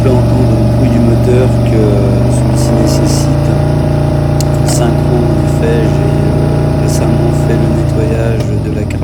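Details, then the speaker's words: Yamaha V-Max 1200 V4 idling after stator and rectifier replacement, with a slightly uneven, lumpy pulse; the carburetors are out of sync and need synchronising. "carburation et pour les puristes du Vmax on peut entendre que ce dernier voilà nécessite une synchro que je ferai très prochainement"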